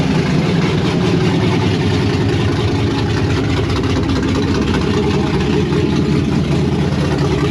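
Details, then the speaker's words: 1992 Firebird with LS swap on Holley Terminator X, first start outside, stuck thermostat: loud deep V8 idle with an uneven loping chop; choppy idle, cause not yet found, tuning may need help. "It runs, you saw it chopping. We gotta fix the thermostat, which is stuck, get the brake lines in, do a bunch of other random stuff."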